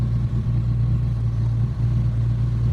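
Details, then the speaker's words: Mitsubishi GSR manual: dies on first start, fine on second; low idle sags and recovers unevenly, RPM rising and falling, worse with air conditioning on and rough exhaust; clogged throttle body causing idle hunting. "namamatay daw pag sa unang start pero pag pangalawang start is magiging okay na siya tapos taas baba yung RPM niya"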